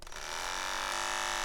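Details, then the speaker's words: Wahl KM10 cordless dog grooming clipper starts into a harsh, terrible rattling buzz that vibrates the hand, signalling it needs attention: worn blade drive or blade hinge assembly, the two parts needing periodic replacement. "you hear that rattling sounds terrible right can you imagine what that would sound like to a dog extremely annoying and it's vibrating my hand"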